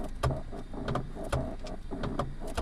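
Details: Ignis car: turning the steering wheel brings a repeated creaky clunk about three times a second, each with a short squeak. Steering noise when turning.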